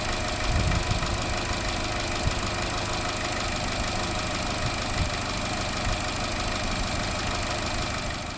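A fast, busy metallic rattle rides over a steady idle, typical of lifters losing oil pressure from a loose timing chain guide.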